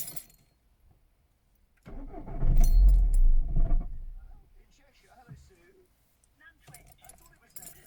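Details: Peugeot 308 CC 2.0 HDi diesel that occasionally won't start: keys jingle, starter churns about two seconds and engine never catches; hard starting, fine once started and warmed up.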